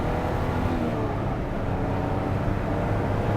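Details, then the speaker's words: Jaguar E-Type roadster driven at speed with the top up and a window partly down: a deep, even engine drone pulling smoothly under load over wind and road noise. No misfire or knock; the car is very fast. "This thing is so fast, too. It's ridiculous."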